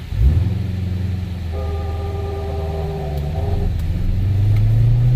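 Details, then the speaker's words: 2016 Chevrolet Corvette C7 Z06 manual, never raced: when releasing the clutch from a stop in first, a moaning grinding rub over the engine rumble until the gear fully engages; happens hot or cold, flat or slope, worsening. "You hear this awful grinding, this rubbing noise that sounds like the clutch is gonna fall out. And it just doesn't happen when it's hot or cold. It happens anytime."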